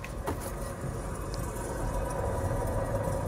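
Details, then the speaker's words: Chevrolet Tahoe, front wheel spun by hand: a low, rough, steady rumble matching the roaring heard on the test drive. Worn front wheel bearing. "that sounds horrible so that's what I'm hearing on the test drive"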